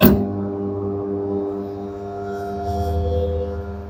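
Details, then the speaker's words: Candy semi-automatic twin-tub washer: a click, then a strained steady low hum that never spins up freely, motor overheating; capacitor not at fault, motor bush getting stuck; wash motor stalling. "Now you can see the problem is getting stuck motor. See, it's too much heating motor."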